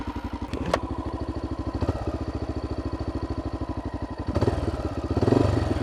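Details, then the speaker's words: 2012 Honda XR650L single-cylinder dual sport with FMF Q4 exhaust, idling mid-trip: a steady thump with a light metallic clatter on each beat. Something is rattling; the cause is unknown. "like a rattle in there don't know if you can hear that I hope this thing gets me home because I don't have a motorcycle trailer set up"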